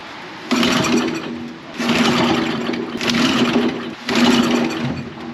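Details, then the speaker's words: Dad's old concrete mixer small engine, revived after years of dust, catches briefly in short bursts and dies, no fuel smell; owner suspects it runs only on starting fluid with fuel not reaching in, maybe stuck carburetor float. "She's probably running off the starting fluid, which means we might not be getting fuel all the way in there, but I don't smell any fuel."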